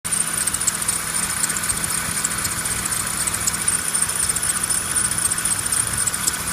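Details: BMW E36 with M50B25 engine and air conditioning, idling: constant shrill squeal, steady in pitch with slight flutter. Owner suspects a failed belt roller/idler; cause not confirmed.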